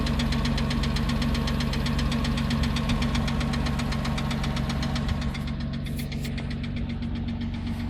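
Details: 2006 Porsche Cayman S flat-six idling with loud sharp lifter tick about four a second, appearing after oil change that removed years-old sludge and collapsed filter; oil additive did not help, lifters to be replaced.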